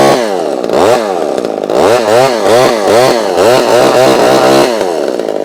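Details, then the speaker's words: Vintage chainsaw with an automatic oiler, run after little use: a loud two-stroke with revs rising and falling about every half second, hunting and uneven. It runs smoky, getting less so the longer it runs. "so this one's actually getting better I think the more the more I run it the more I run it the less smokier it is although it's still smoking"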